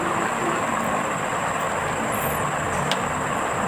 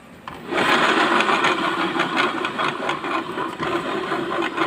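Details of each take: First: Yamaha Mio J scooter with noise in the CVT area, rear pulley still fitted: very coarse rough hiss with a thin high ring; noise disappears when the pulley is removed; worn CVT pulley bearings. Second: Yamaha Mio J scooter CVT after replacing the rear pulley bearings, which had sounded very coarse and gritty before: even smooth whir with no grinding, then it tapers off; smooth CVT running.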